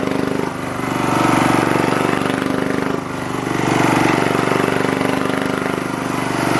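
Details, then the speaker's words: Lister Petter AC1 4 kVA diesel generator, 1980s British, 3000 rpm, fired almost first turn after earlier no-start suspected to be air from leaky fuel tank; even steady chug, gentle rise and fall, no knocks or misses; normal running. "okay absolutely nothing wrong with that machine there uh they're fired up pretty much first turn"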